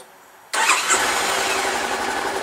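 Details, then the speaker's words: Wrecked 2013 Honda CB500X parallel-twin, battery charged, start: quiet then fires straight away, settling into steady even sewing-machine-like idle with no misses; starts and runs normally. "presto we have ignition now this is a two-cylinder parallel-twin and it sounds like a sewing machine when it's running"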